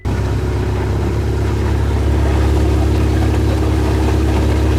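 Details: 2018 Ferrari with 42,000 miles and accident damage, switched to sport mode to quiet it, driven gently toward the body shop: a deep, steady engine note without rattles, knocks or stumbles; normal engine running.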